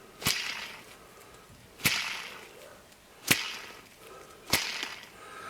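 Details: Speedway mill bottom bearing, removed from the mill, spun by hand with four flicks. Each flick gives a gritty, hissing rasp that fades as it spins down, while the top bearing spins silently. The bottom bearing is rough and worn.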